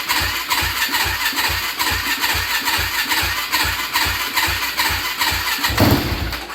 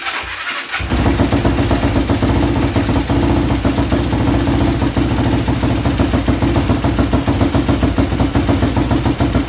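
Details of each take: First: Yamaha Blaster ATV with a swapped YFZ 450 engine, bought unheard, stock pipe: catches and chuffs unevenly about two beats a second, never settling, then dies; fuel starvation, no gas coming from the tank until switched to reserve. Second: Yamaha Blaster ATV with a swapped YFZ 450 single-cylinder engine, fuel switched to reserve after starvation: catches within a second and settles into a steady idle with no misses; running normally.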